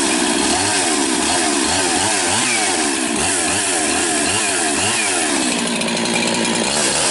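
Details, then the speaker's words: Rebuilt 371 chainsaw with new top end and new carburetor (compression 80 raised to 130–135), after long sitting; strong steady two-stroke howl holding revs, bogging rhythmically in the cut without stumbling; healthy. "So she hasn't started in a long time. Sounds good."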